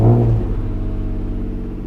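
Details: Acura NSX at 100k miles after a full battery swap (Odyssey Extreme removed), starter recently replaced: a brief start flare settling into a smooth, low, steady idle with no stumbling. Normal idle; a stray screw was suspected in the earlier no-start.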